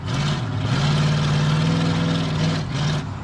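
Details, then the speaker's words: 1988 Chevrolet Silverado OBS short box, hot at about 201–205°, earlier misfiring at times: strong even engine note pulling steadily under throttle with no stumbles, clean running, no misfire. "see that ain't no Miss that's clean now"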